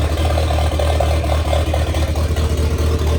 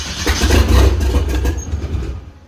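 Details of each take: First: 1927 Ford roadster with 2.3 L turbo four after fuel line repair and fan switch install, fresh 91 octane fuel; steady even low rumble with no misses or knocks, no leaks: normal running. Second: 1927 Ford Roadster with 2.3 L turbo engine, first start attempt after fuel system repair and fan switch install: starter churns steadily a couple of seconds with no firing, then stops; cranks but won't start because a sensor was left unconnected.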